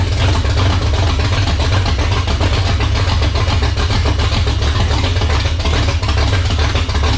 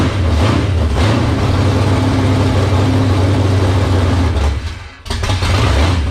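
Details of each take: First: 1978 Dodge Warlock truck, 360 small-block stroker on its first start with idle turned up: deep, even V8 rumble with a steady beat, no knocks or ticks. Runs healthy, 75 psi oil pressure at idle from a high-volume pump and over 80 revving. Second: 1978 Dodge D-series Warlock truck with a 360 small-block stroker V8, first start in the truck, cold with no choke, last run on a dyno: a slow, heavy loping idle that nearly dies. Idle speed is set too low, so it will be turned up.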